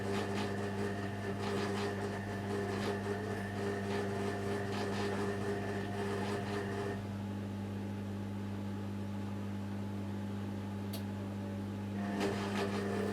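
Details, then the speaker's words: Hoover A3308 washing machine, unused for a while, pump running as soon as switched on, won't start on wash program: on rinse, a steady low hum with faint whine drops out and returns; pump running rough, suspected, not confirmed. "so so that don't think noise you can hear is the pump itself and anyone remembers my boss washer dryer does exactly the same kind of squeals because obviously it hasn't been used for a while"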